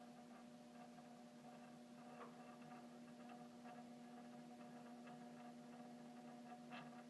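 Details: Downstairs mechanical doorbell chime gives a steady low electrical buzz with a higher hum as its front striker vibrates, after a Ring Pro with power kit was installed on the other chime on a 16V transformer.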